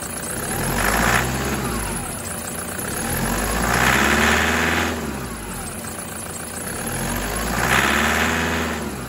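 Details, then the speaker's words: 2008 Prado 120, brand-new 1KD diesel with new injectors, stone cold around 7°C, three throttle blips: rattly clatter rising and falling; typical cold knock for Prado 120 and pre-September-2009 Hilux, diagnostics excellent, nothing faulty. "I'm basically attempting to make the engine make a bit of noise so that you know that even if you've got a new engine or an engine in as new condition and new injectors, when it's this cold, that's what it can sound like."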